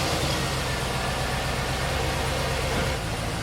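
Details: 2008 Hummer H2 with a crank-no-start from codes P0230/U0109, after reworking the fuel pump control module and clearing codes: it starts on one crank into a steady, even low rumble with no misses; normal idle.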